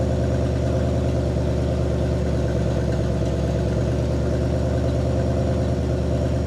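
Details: 1960 Pontiac Catalina 389 V8 sat since 1985, after points dwell adjustment to about 40° (target 30°): steady, even low idle burble, quieter, slightly higher and smooth, no misses or stumbles.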